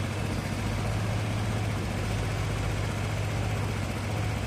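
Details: Honda Vario carbureted scooter, previously sputtering (brebet), after carburetor reinstalled and vacuum fuel hose reconnected: low, even putter with no misses or stumbles, idling smoothly; declared fixed before tuning.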